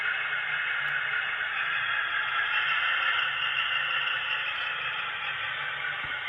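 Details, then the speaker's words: Atlas HO Chessie System B30-7 model locomotive with original QSI sound decoder: harsh hissy crackle swamps the diesel sound with almost no low thump; speakers badly distorting, to be replaced along with ESU LokSound decoder upgrade. "If you heard that sound where that was coming out of them, those speakers sounded pretty bad. All that crackling and stuff."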